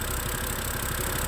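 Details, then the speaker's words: 2011 BMW E90 M3 idling after new gasket and CCV valve, smoke from rear: uneven stumbling idle that never settles; codes for cylinder 2 misfire and banks 1 and 2 lean, owner suspects a loose rear seal. "but it says that cylinder number two is misfiring and it also says that um Bank bank one a bank two to lean and then flow to air something something"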